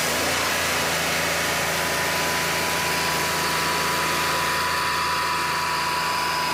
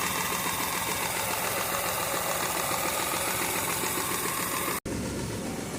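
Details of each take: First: Mahindra KUV100 three-cylinder with a P0300 misfire from an injector fault, after the injector assembly (three injectors with rail) was replaced and the code cleared: a steady, even idle with no misses or stumbles, then shutoff; a healthy, normal idle. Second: Mahindra KUV100 three-cylinder petrol idling with uneven, stumbling misfire, MIL lamp on (P0300, injector circuit); injector cleaning helped only temporarily, so faulty injectors are being replaced with a genuine injector rail assembly.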